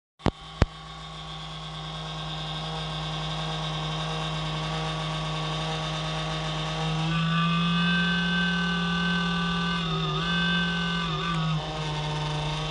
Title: The CoolCold Has Loud Vibration Noises